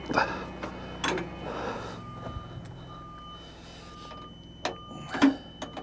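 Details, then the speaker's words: Bobcat T76 R-Series skid steer, panel off and won't turn on: intermittent backup alarm beeping and front buzzers keep sounding with the machine off; electrical fault after two months of rain and snow, battery under the cab to be disconnected. "good old R series Here We Go Again look at this we've got can you hear it back up alarms going off if you can hear it and then around the front buzzers are just going off but the panel [Music] but the panel is turned off we just got alarms and stuff going of"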